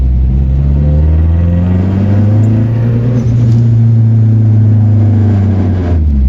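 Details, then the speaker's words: Turbo Nissan 240SX being driven during break-in with about 30 km on the engine, revved to about 3000 rpm and released: deep booming exhaust drone resonating at that rpm masks the blow-off valve. "Like, that's the thing that really kills it for me, is you can't really hear the blow-off valve go, because at the exact RPM I'm letting off the throttle is the exact RPM that my exhaust vibrates like crazy."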